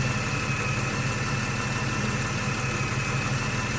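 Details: 2014 Ford FG XR6 after alternator and power steering pump O-rings were changed: even, steady idle rumble with a regular low pulse and no ticks, knocks or squeals; normal idle.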